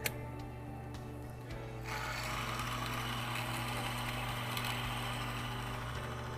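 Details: Bearing film strength test rig running on Royal Purple Synfilm (ISO 68) with existing wear scar, one load plate on: steady mechanical hum, even low drone, light rhythmic ticking; runs smoothly.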